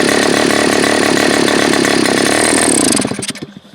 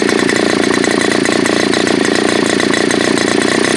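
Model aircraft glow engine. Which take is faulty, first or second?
first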